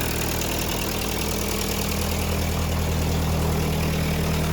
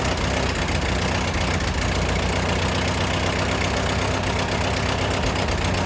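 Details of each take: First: Ford 8N tractor after restoration, exhaust/muffler resealed, running: steady, even low idle with regular beat and no ticks or exhaust puffing; sounds healthy. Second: Ford 8N tractor during restoration, carburetor leaking while running: uneven, stumbling idle with irregular misses under a steady rumble; sputtering, owner suspects float sticking, float height not yet adjusted.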